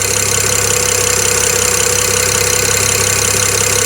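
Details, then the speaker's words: BMW 335i with excessive injector ticking traced by stethoscope to cylinder 6 injector; fast sharp ticking over steady idle while warming up, keeping pace with engine speed, easily mistaken for a lifter or cam ledge fault; noisy fuel injector. "if you got a a 335 a 135 a 535 that's making a bunch of ticking noises and you think it's a lifter or a bad c um cam ledge or something like that you know go the easy way and try to do this uh method first just to make sure it's not an injector"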